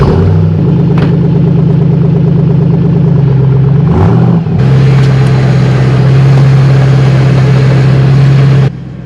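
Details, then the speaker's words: 2008 Ford Mustang GT, stock three-valve V8 with aftermarket exhaust, midday start: loud deep exhaust burble settling to a steady, even idle with no ticks or misfires; normal start. "you can hear that pretty bad that sounds good it definitely has exhaustion"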